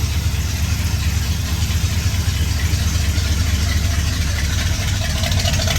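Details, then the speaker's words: 1966 Ford F100 V8, hot, just after exhaust leak repair with a new gasket, before a timing advance: deep, steady idle with an even, slightly rich burble, no ticking or puffing. Normal idle. "so let's give it a run man she's running a little rich [Music] sounding good"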